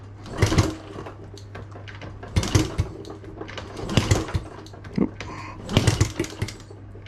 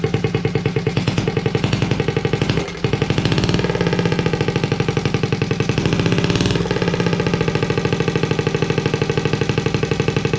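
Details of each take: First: Honda Z50A Monkey bike on a CR70 stator, kicked over after a few pops: four short bursts with no firing or catch. Apparently fuel starvation, as the carb doesn't seem to pull fuel through, and it leaks fuel around its sides, needing a rebuild. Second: Honda Z50A Monkey bike running after fitting a CR70 stator with the original flywheel, warming up with the manifold disconnected from the silencer: loud, rapid, even unsilenced popping at a steady idle, a brief dip and recovery, running cleanly.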